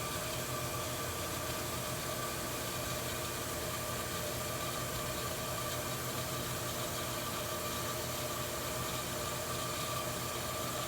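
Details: Well pump coming up to pressure after fixing a waterlogged tank with air from a compressor: steady, even motor hum at constant pitch, no knocking or surging, running normally.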